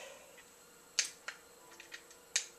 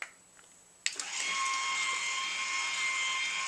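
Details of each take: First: BEME e-Rod motorized drapery rod motor unit: sharp dry clicks, about four in three seconds, with no motor whir after them; a known-good power adapter was also tried; relay contacts have failed. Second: BEME e-Rod motorized drapery drive unit after replacing a failed relay, final test with case reassembled: a click at switch-on, then the small motor settles into a smooth, steady high whine with no stutter; healthy motor running.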